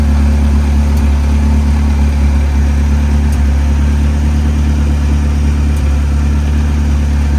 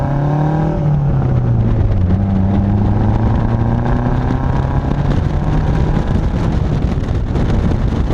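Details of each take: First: Saab 900 turbo, warm engine at idle: a deep steady rumble with an occasional faint stumble. It is a very slight misfire at warm idle, before new spark plugs and a distributor rebuild. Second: Saab 900 turbo after new spark plugs, distributor rebuild and timing set correctly, driving under load: smooth, strong pull with rising revs and crisp exhaust burbles off throttle, no miss; engine sounds healthier, boost slightly improved.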